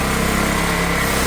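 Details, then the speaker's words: Old Honda generator stored 20 years, running on choke with throttle held open, powering a drill; even steady putter, no misses or surging; carb issue suspected, air filter missing. "She's running with the choke on, so that is phenomenal."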